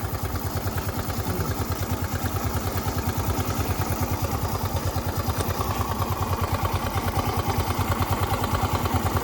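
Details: Suzuki Access 125 scooter: steady, even single-cylinder idle at about three pulses a second, no knock or rattle from the drive; healthy idle.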